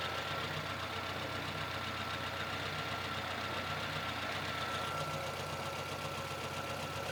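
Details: Lada VAZ 2114 at idle: rapid, slightly uneven tapping at roughly four per second over the engine; knock inside the engine, owner asking what is knocking, cause unclear.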